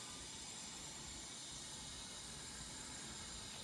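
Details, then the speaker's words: Subaru STI engine leak-down test, engine off, cylinder 4: steady, even hiss of air escaping; owner believes bent valves, intake or exhaust, while cylinder 2 held okay. "you can probably hear air escaping through the valves, I think, on the intake. So, yep, that pretty much confirms to me that the valves are bent either on intake or exhaust, at least on cylinder 4."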